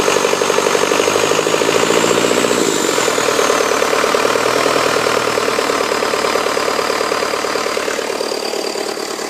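The revs drop early, then the diesel settles into an even idle with a steady clatter and no knocks; it sounds healthy.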